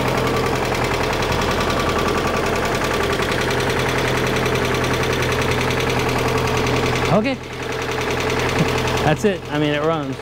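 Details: 1991 Mazda Miata after timing belt, cam and crank seals, crank position sensor seal and valve cover gasket replacement, first start after refilling coolant: steady, even idle with smooth low hum, no knocks or misses; runs healthy, not yet at operating temperature.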